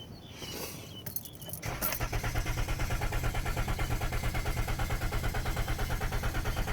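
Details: 2013 Ram van: key jingle, then steady rhythmic cranking chug about three beats a second that never catches; the engine turns over but won't start, cause unknown.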